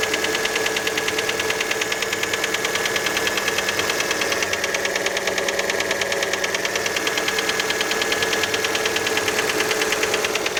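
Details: Fiat Panda engine after a cold start: a sharp, regular mechanical knock, roughly two or three per second, over the cold idle. The piston skirt is widely suspected but not confirmed.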